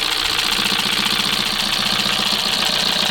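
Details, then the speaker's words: 2025 Kia Soul, 12,985 miles, running with heavy tailpipe smoke after a year of constant idling and likely low oil, sludged inside. Rapid, clattery metallic chatter over the idle, plus a hitting sound; possible broken motor mount. Internal engine knock suspected. "But you hear how bad that thing sounds? I mean, it is just clattery, chattery. Also sounds like this thing's got a broken motor mount. Yeah, something's hitting, but you hear how chattery it is?"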